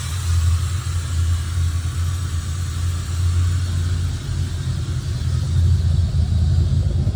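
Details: C4 Corvette V8 with rough idle and no cooling errors: deep, lumpy idle with an uneven throb that rises and sags instead of settling; cause not identified.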